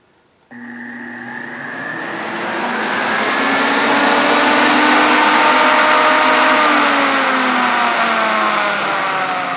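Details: Electric radiator fan for the aluminum radiator in a 1968 Mustang, bench-tested on a table off the car: spins up with a rising whir, then a steady even hum with no wobble or rattle; normal running.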